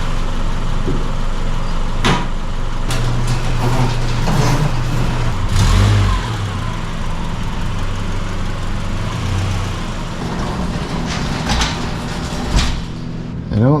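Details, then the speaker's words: 2010 Subaru Forester after water pump replacement (seal failed from wrong green coolant), top radiator hose getting warm: steady low idle with an even beat, no knocking or squealing; runs just fine while warming up. "let it idle for a few minutes sounds like it's running just fine"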